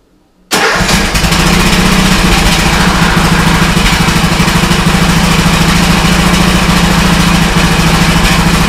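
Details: Cheap used custom-built riding lawn mower, cold start without choke: catches at once and settles into a steady, even idle with a firm low beat and no smoke; owner told it may have a cam; healthy.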